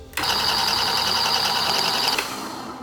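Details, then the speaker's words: Niche Duo coffee grinder with 83 mm flat burrs being zeroed: run empty, it gives a bright, steady high-pitched squeal for about two seconds as the burrs touch, marking the zero point. "turn on the niche Duo and listen for the Burrs touching if you can hear the Burrs touching then this is a more accurate zero point"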